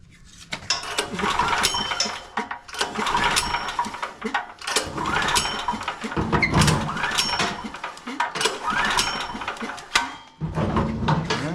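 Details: Predator 6500 W (420cc) generator that sat a long time, varnished fuel, fuel valve on: repeated recoil pulls about every two seconds spin the engine but it never fires; badly damaged carburetor with broken choke not delivering fuel.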